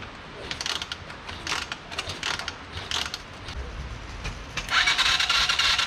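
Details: Whiskey Throttle mini bike small engine that previously would not run, after new wiring harness: ragged rapid scraping turnover bursts with no firing; cranks but won't start, owner suspects no compression.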